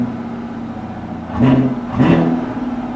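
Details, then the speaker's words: Chevrolet Camaro SS V8 at Copart: smooth idle, then two clean throttle blips that rise and fall with no knocks or rattles; the exhaust sounds fine, a normal rev. "yeah it's all right the exhaust is all right it's it's nothing to write home about"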